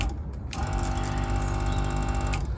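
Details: Seaflo 22 series 5 lpm 100 psi auto-switching diaphragm pump, 54-litre tank, Ford Transit Custom camper, after replacing blown 15 A fuse: steady low hum with even fine buzz, no stutter or knocking; running normally.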